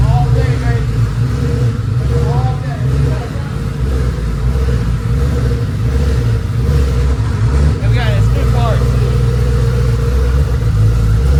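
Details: Ford F150 with a twin-turbo Gen 2 Coyote V8, newly built FFRE Stage 3 short block with Head Games heads, on its first fire-up. It settles into an even idle with throttle blips and no knocks or ticks. This is a healthy startup.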